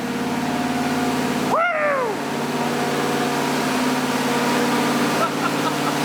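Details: 1977 Ford F150 V8, first start and break-in of a new engine; smooth steady idle with even beat, a brief whistle-like sweep; sounds healthy, normal idle.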